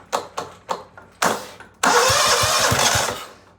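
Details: John Deere STX38 mower with its engine just reinstalled, using a borrowed Husqvarna battery, belt not yet connected: several quick starter cranks, then it catches with a loud burst and settles into a steady beat; normal start.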